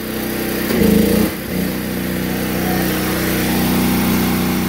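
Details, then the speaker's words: DuroMax XP12000EH generator powering a whole house through a GenerLink transfer switch, fridge, freezers, humidifier and lights on; steady drone that revs up and down as appliances switch on and off, governor catching load swings: normal running under load. "every single time an appliance turned off in on in the house you can hear the generator you know rev up and down up and down"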